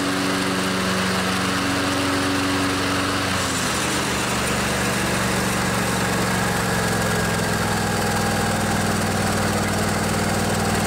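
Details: Craftsman DYS 4500 riding mower with a Briggs & Stratton 24 hp twin-cylinder Intek engine, revived after outdoor storage. With the fuel tank cleaned and refilled and the carburetor refilled, it gives a steady, even drone with no misses or knocks. Normal running.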